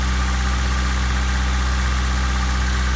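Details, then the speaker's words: 1997 Honda Civic, cold engine after fuel filter replacement: steady even idle with low hum sitting a touch fast, nothing wrong; idle a little high because it is cold. Slightly high cold idle. "Right now I'm sitting on one head idle, but she's cold. That's why. See, my gas gauge went down a little bit, but not bad. Idle's a little high because she is cold."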